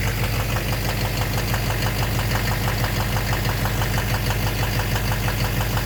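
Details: 2009 Chevrolet Duramax LMM diesel dually, morning cold start idle: steady knock about 1.5 per second that doesn't change, first mistaken for an exhaust leak; owner suspects injector knock or cracked flex-plate, unconfirmed.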